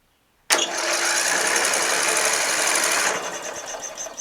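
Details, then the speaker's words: Murray LT widebody lawn tractor, Briggs 12.5HP flathead, good spark: starter spins fast and light for about three seconds without labored compression strokes; zero compression, engine feels loose. "zero compression zero just feels loose looks like it's gapped correctly"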